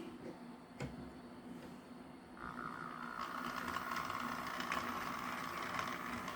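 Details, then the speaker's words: Bachmann GP40 Rio Grande DCC locomotive at slow crawl: a steady mid-pitched hum comes in partway and holds even; the hum does not occur with the shell off, and its cause is unknown, possibly motor or shell resonance. "and it does have a pretty slow crawl but if you hear that hum that's what i'm talking about it doesn't do that when i take the shell off so i'm not entirely sure what the issue is with that"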